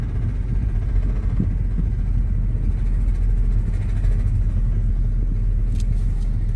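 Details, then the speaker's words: 1998-2005 Lexus GS300 coasting with no throttle or braking: steady low droning rumble with no knocks; source unclear, owner suspects worn front wheel bearings. "What is that noise? I have no idea. Need your help."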